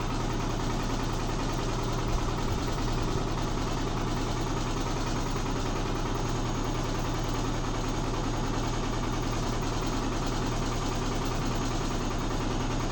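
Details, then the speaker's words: Neighbour's Midea HealthGuard washer accelerating in spin, a noise heard daily: a heavy, steady low rumble with a coarse shudder that intensifies. The machine shakes but stays in place; something loose inside is suspected, not confirmed. "O barulho intensificou. Então é isso que eu escuto todo dia. Meu Deus do céu."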